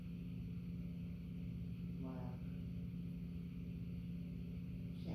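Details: Nutone friction-drive Verandah 52-inch ceiling fan under test: constant low hum, steady pitch, no clicks or scraping, outdoor chirps; audible but not horrible, ordinary running noise.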